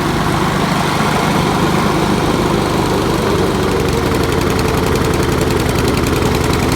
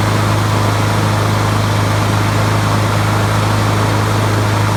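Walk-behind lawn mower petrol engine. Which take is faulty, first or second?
first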